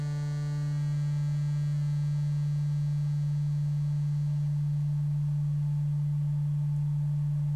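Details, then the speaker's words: Adcom GFA-555 amplifier, microphone at the speaker on a 150 Hz tone: when the left channel's bias is turned back down, a raspy, edgy buzz rides over the tone instead of a clean sound, crossover distortion from low bias; it sounds clean once bias is raised. "so while I have the microphone at the speaker I'm going to go ahead and turn this back down where it was and you can hear it goes into that buzz"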